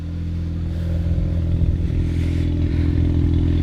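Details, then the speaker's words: Mazda FD RX-7 rotary engine idling smoothly with a steady low drone and even burble after first start following a long sit; air conditioning pump unplugged to stop a problem, microphone turned away. "easy fix just unplug the AC for now and she seems to be running said just fired right up after one or two cranks"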